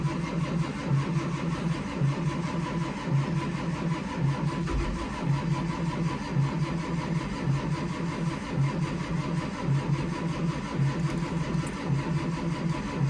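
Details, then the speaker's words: 2004 Blue Bird Vision bus with 7.2L Caterpillar C7 210 HP diesel, cold start at 23°F: slow, even starter churning about one pulse per half second for over ten seconds, no fire; light white smoke as injection pressure builds. "I think we're definitely getting somewhere. I saw it smoking in the mirror out there just a little bit, and that is an indicator that this bus is getting close to starting."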